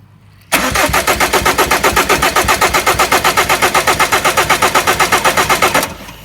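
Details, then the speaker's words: Ford Mondeo Mk5 2.0 diesel that cut out: brisk, even cranking about four beats a second for over five seconds with no catch; camshafts turn but zero fuel from high-pressure pump, later found to have a broken shaft. "Nothing at all. There's absolutely zero coming out of the high pressure pump."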